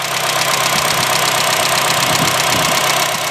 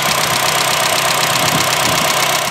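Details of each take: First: Honda Fit GE8 after valve adjustment (some valves too tight, some too loose) to cure a loud valve tick: loud, steady idle with an even beat, running smoothly with no obvious valve tick. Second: Higher-mileage Honda Fit GE8, at idle before the repair: fast, even, loud light ticking from the top of the engine. Valve clearance is excessive, so the valves need adjusting.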